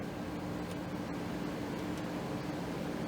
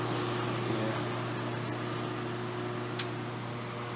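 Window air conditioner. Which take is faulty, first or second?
second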